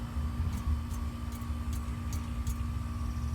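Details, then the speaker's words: 1998 Chevy Silverado 1500 with a P0420 catalyst efficiency code: dull, solid taps on the exhaust pipe over a low engine hum, with no rattle or buzz, showing this joint is tight. "sounds nice and solid no noise"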